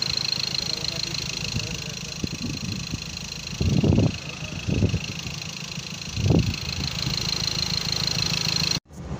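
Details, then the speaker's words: Ford Ranger TDCi diesel after rebuild (seized from turbo failure oiling pistons; crankshaft or all four bearings replaced, original turbo cartridge fitted): steady even idle clatter with a few nearby bumps, no misses or knocks. Normal idle. "ድምፁ በጣም ያምራል። ይሄን ይመስላል እንግዲህ።"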